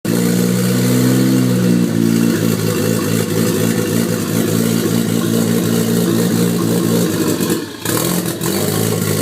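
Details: Toyota MX83 Cressida with swapped JZX81 1JZ engine: revs up unevenly with a ragged, stumbling beat and brief drop-out near the top, misfire and hesitation under throttle.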